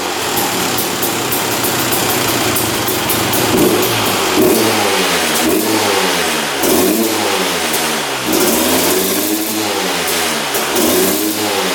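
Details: 2001 Honda CR250 two-stroke dirt bike, just started after sitting non-running: throttle blips with revs swelling slowly and sagging back, lazy pickup, smoking a lot; owner suspects running rich, fuel mixture or burning too much oil.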